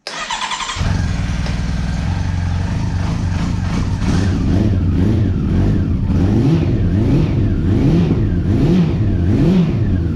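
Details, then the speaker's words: 2009 Honda CB400 V-Tec four-cylinder, sat for years, first run after fuel pump replacement; catches after a second, then a smooth, even idle with clean rev blips rising and falling on all four cylinders; injectors fine, healthy. "so the fact that it ran on all four and ran smooth and beautiful just makes me really happy"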